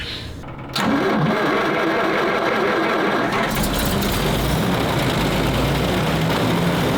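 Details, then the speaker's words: Tank with no choke on the carburetor, hot climate; starting fluid sprayed generously into carburetor intake, then the old six catches abruptly and settles into a steady, even rumble: cold start on starting fluid. "in a hot climate, it's got no choke on the carburetor. So sometimes it needs a little bit of lazarus in the can to just wake it up a bit."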